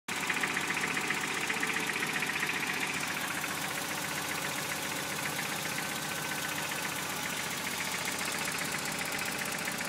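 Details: Freshly rebuilt Toyota 22RE four-cylinder truck engine idling with a steady knock, roughly four beats a second, over the running sound; cause unknown, owner worried.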